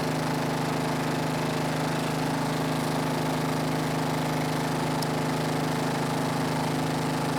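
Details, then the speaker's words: Snapper riding mower, garage-stored by the original owner, runs after the angled fuel tank that starved it of fuel was set back in place; an even, constant drone with a steady firing beat, no knocks or misses, normal running. "well engine runs so that's great"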